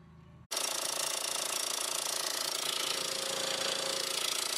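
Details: 2002 VW Jetta 1.8T at idle, shop blamed the turbo: steady, fast metallic rattle of about three or four per second; the turbo is quiet through a screwdriver stethoscope, and with the serpentine belt off the noise persists at the front, suspected inside the timing cover.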